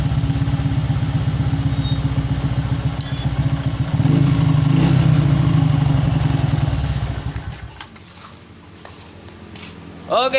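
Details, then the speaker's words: Honda Supra X 125 with heavy fuel use, testing replacement Jupiter regulator/rectifier and Shogun 110 CDI: steady single-cylinder beat at idle, rises cleanly on throttle and drops back without stumbling; engine idles and revs normally. "Ini berfungsi dengan sempurna, teman-teman. Suara mesin saat idle terdengar bagus dan tidak tersendat pada putaran tinggi."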